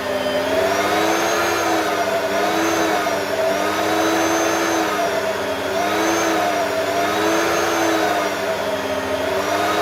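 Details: Vacuum from the tip; the owner suspects the electronic speed LEDs are faulty. Strong high motor whine with a steady suction rush, its pitch wavering slightly as it is moved. Running normally.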